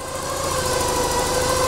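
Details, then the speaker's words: Porsche 944 3.0L four-cylinder, 235,000 km, after cleaning fouling that caused unstable warm idle: smooth, even idle with steady low hum, no hunting or surging; running perfectly round. "bon voilà les amis on se retrouve donc le moteur tourne et le moteur tourne parfaitement rond écoutez ça"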